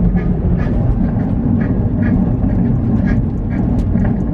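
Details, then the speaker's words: Honda S2000 driven at speed: a regular metallic knock about twice a second over heavy road rumble, only audible at certain speeds; worn rear wheel bearings, found on both sides. "I checked the other side it was the same I was like okay so this is definitely gonna be what's making us that nasty metal scratching noise"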